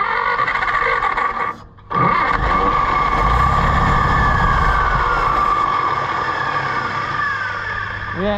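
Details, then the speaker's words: Allis-Chalmers WD tractor (WD45 engine, or the reverse): steady cranking about three beats a second, no firing even on starting fluid or brake clean; owner suspects carburetor not passing fuel, rebuild likely. "it won't fire a lick won't even fire on starting fluid and that's not good or brake clean"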